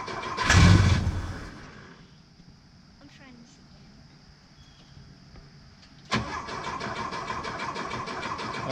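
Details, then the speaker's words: Porsche 914 (1972/73), first start in years on a shot of starter fluid: it catches with a loud burst, runs about a second and fades out with no fuel hooked up; runs briefly then dies from no fuel delivery. "okay well again the fuel pump wasn't pumping"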